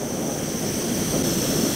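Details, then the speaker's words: MSR WhisperLite International stove on shellite/petrol, once the priming flame has heated the copper pipe enough to vaporise the fuel: the sound moves from a fuel-and-gas mix to a steady, even rushing roar with no sputter or surging; burning cleanly on vapour. "there's still a bit of there's a fuel and gas combination you can hear it there we go it's all gasp they are the fuels that means the copper pipe is near hot enough to evaporate the petrol"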